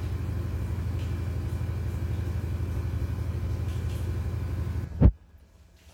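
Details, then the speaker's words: LG 8 kg top-loading washing machine (T2108VSPCK, Smart Inverter Motor, TurboDrum), in its final spin with one minute left; a steady, low, even drum rumble, then soft thumps as it stops. Normal spin cycle. "ini proses finishing ya Ini karena tinggal waktu 1 menit begitu diproses Spin Mari ditengok sama-sama apa yang ada di dilakukan oleh mesin cuci ini"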